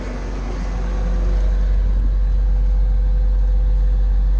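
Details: Bobcat T590 diesel after water pump replacement (old pump bearing failed, seal leaked coolant), warming up, water temperature around 122 degrees, thermostat thought to open near 140: deep, even idle rumble with no knocks or rattles; healthy.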